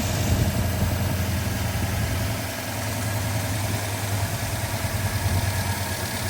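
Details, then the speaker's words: 1966 Ford Fairlane, timing moved from 16 to about 14 degrees initial, idle lowered toward 1,000 rpm; lumpy uneven idle, engine shimmies, suspected dead cylinder; rough idle. "If I go down to 1,000, I think we have a dead hole somewhere. Look at that thing shimmy. Yeah, it's not right."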